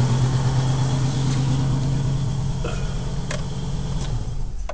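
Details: Volvo 850 after cylinder head replacement following timing belt break: settling from a rev to idle with uneven puffing beat and rough leaky exhaust note, down on power; misfire suspected, possibly exhaust cam timing off a tooth, unconfirmed.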